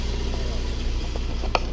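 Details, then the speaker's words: Honda Civic after a head gasket replacement. Steady, even four-cylinder idle with no misses or knocks. Coolant temperature is good and there is no exhaust smoke anymore. Normal idle. "You can see coolant temp is doing good. Everything's idling right. And it doesn't even smoke."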